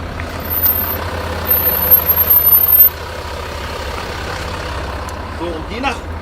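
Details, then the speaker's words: 2014 Range Rover Sport 3.0-litre with Brembo brakes, rolling slowly: thin, very high-pitched metal-on-metal squeal over low engine rumble, louder depending on wheel rotation; brake squeal/grinding. "jetzt hat man extremes pfeifen gehört also richtig als ob metall auf metall richtig schön ohne öl sozusagen quietscht"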